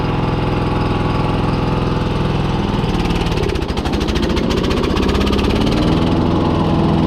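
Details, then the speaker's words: John Deere 14SB mower, carburetor and governor adjusted, full throttle: runs steady then about three seconds in goes rough and lumpy, stumbling a few times a second; owner wonders about fuel starvation or engine limit; bogging at full throttle. "See, it still does that. I wonder if it is running out of fuel."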